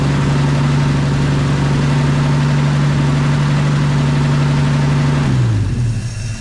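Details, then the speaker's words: 1951 Chevy pickup farm truck, abandoned about 40 years, first start attempt: steady idle about five seconds then revs sag and it dies, running on the prime and not drawing fuel from the tank; fuel starvation stall. "No, I should have been sucking fuel by now, so."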